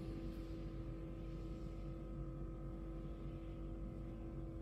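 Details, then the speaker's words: Cooling fan low speed commanded by scan tool actuation test, ignition on, engine off: steady low hum with constant even whirring, no rattle or scrape; fan operating normally. "I can hear the cooling fan is operating."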